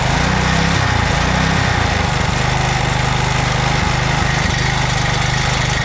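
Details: 2007 McLane reel mower small single-cylinder engine after a carb clean, on choke at fast throttle, running on fuel poured into the carburetor bowl with no tank fitted. Quick, steady thump without stumbling; normal running.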